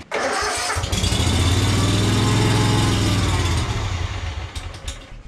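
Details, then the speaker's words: Yazoo Kees 42-inch zero-turn mower with Kawasaki engine, new carburetor fitted, long-standing fuel issues: starts on full choke, runs unsteadily a few seconds then dies; starts then stalls, fuel problem suspected, worse than with old carb. "okay starts right up and then immediately stops and drop it down to idle crank"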